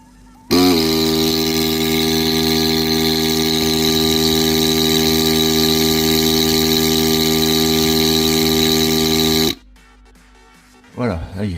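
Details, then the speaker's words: Repaired Philips PerfectDraft beer tap, which had no cooling, no pump and a dead display, fixed by replacing three 16 V supply capacitors: the pump runs with a steady, even buzzing hum for about nine seconds, then cuts off cleanly, working normally. "la pompe elle fonctionne ok voilà il n'y a pas de bidons c'est normal"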